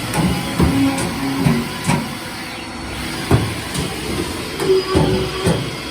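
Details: Haas VF3 mill with new way cover seals, rubber wiped with WD: irregular hollow clonks every half to one second as the covers slide, no grinding or binding; clonk normal for a bigger machine.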